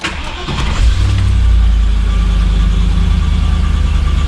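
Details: 1999 Land Rover Discovery that sat for years, after ECU and BCU swap, with the immobilizer light no longer flashing: brief crank, then catches cleanly and settles into a steady, even idle; normal start.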